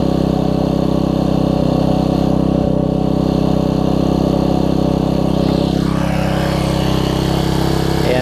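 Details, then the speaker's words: Troy-Bilt Tuffy rear-tine tiller with a 4 hp Briggs engine, after fitting a new carburetor (Briggs 498298), diaphragm and linkage: steady, even single-cylinder fast idle with no misfire or hunting. It previously would barely run after being left outside; now sounds better. "can hear that's better let's pull through"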